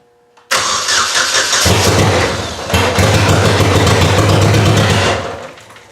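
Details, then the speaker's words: Saturn wagon with LSJ engine, first start attempt: the starter churns evenly for about 4.5 s with no firing. Crank-no-start, cause unconfirmed; suspected flooding, the throttle position sensor unplugged, and the fuel pump not staying on. "alright so we've let it sit for about an hour I think it was flooded we also didn't have the throttle position sensor plugin"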